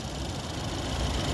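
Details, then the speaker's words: 2015 Ford Escape 1.6L EcoBoost direct injection, 64,000 miles, pre-purchase inspection in the engine bay; quiet idle with light, fast, even ticking from the injectors firing; a normal, good sound. "That tick you're hearing is the injectors firing. It's good sound. We always like to hear that."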